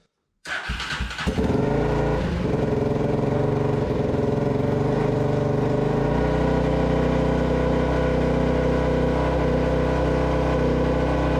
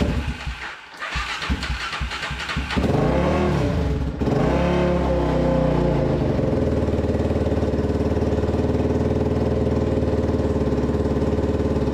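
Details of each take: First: Abandoned Polaris Predator 500 quad being restored, with an aftermarket CDI: starts after a few coughs, then runs fast and uneven with revs hanging high; throttle cable sticking, idle adjustment ineffective, oil line also leaking. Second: Restored Polaris Predator 500 quad single-cylinder with aftermarket CDI, sticking throttle cable and oil line leak: fires after a few tries, blips up and settles to steady even running with no knocks; runs normally.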